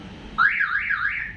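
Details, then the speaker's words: Toyota Avanza alarm, door switches checked one by one while pressing the remote; loud warbling siren keeps sweeping after remote press, so the tested door switch is not the cause: alarm siren sounding on remote lock. "Kita menekan tombol remote. Bunyinya masih terdengar, jadi bukan yang ini."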